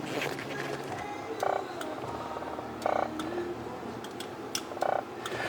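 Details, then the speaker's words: 2000 Ford F250 with the key on: buzzing chirp about every second and a half from behind the fuse box where the GEM sits, alongside four-wheel drive engagement problems; faulty Generic Electronic Module, replaced. "the sound I'm getting I hope you guys can hear that that's the little sound I'm getting from behind the fuse box right here behind the fuse box where your GM is"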